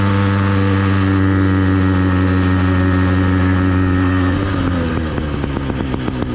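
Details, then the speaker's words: New Phantom 85 two-stroke motorized bike, first ride, front mount spaced improvisedly around a large chainring without the CNC mount: steady buzz then uneven pulsing rattle; heavy vibration, owner suspects the front motor mount. "we still got a lot of vibration we're going to check the motor mounts once we get to the campsite so yeah this vibration has got to be from that motor it just doesn't sound like a motor it sounds like a bad mounting issue"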